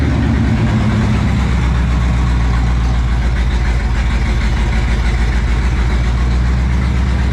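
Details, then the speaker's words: 1975 Pontiac Firebird Formula with rebuilt Pontiac 400 V8 and new starter, in a closed garage; deep steady V8 burble at idle, even firing with no knocks or misses, runs well. "I'm in a closed off garage, but she runs good, starts good. It's a good little motor."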